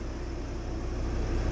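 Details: 2006 VW Crafter diesel van towed in as a no-crank no-start, after repairing a wire shorting the 5-volt reference and blowing a fuse: even, steady idle with smooth low rumble, no misses or knocks; normal idle, no codes.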